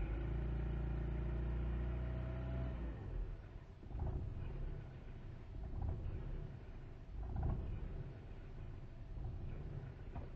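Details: 1998 VW Jetta: the idle sags and then hunts with uneven surges and stumbles. It cuts out at 5100 rpm and dies after load without throttle when cold; misfire with unstable idle.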